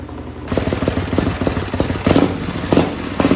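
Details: Racing lawn mower twin-cylinder engine on methanol, cold and hard to start: loud crisp firing with sharp throttle blips rising and falling cleanly, revved to about 9,400–9,500 rpm; picks up and settles evenly, healthy.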